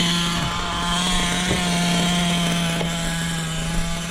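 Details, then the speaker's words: Small glow-fuel engine in an RC truck holding a steady, buzzy, even idle that doesn't stumble or die and isn't getting hot; it is then adjusted as slightly too lean on the bottom end. "That idle can stay right there, just like it is."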